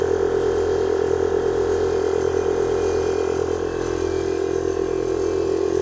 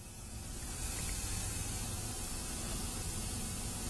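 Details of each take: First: 1998 Chevy Blazer air-ride compressor, newly wired: steady buzzing motor hum with an even pumping pulse, about three a second, filling the tank normally; it kicks on at 90 psi and off at 115 psi within seconds despite a leak. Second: 1998 Blazer air-ride compressor system during setup: constant hiss of escaping air over a low background hum; air leaking from a fitting left without Teflon tape because the parts are not bolted down yet.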